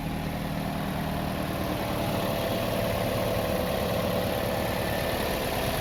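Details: Toyota Vios after crank-but-no-start fault fixed; steady, even idle with no misses, knocks or ticks over a soft rumble. Normal idle.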